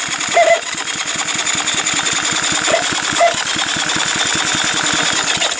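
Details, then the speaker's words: Small Honda engine cranked on a 6-volt battery-charger supply with a condenser fitted, checking for spark. Quick, even cranking ticks with short high squeaks cutting in: the clutch inside the starter is squeaking. "That squeaking is the clutch inside the starter is a little funky, but just making sure I'm not getting any kind of weird voltage."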